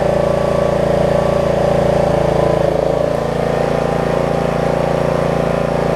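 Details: Snapper rear-engine riding mower, single-cylinder, after repair from bad gas with the choke arm fixed and lead repaired, started on second pull: steady even beat with no misses, surges or knocks; runs smoothly.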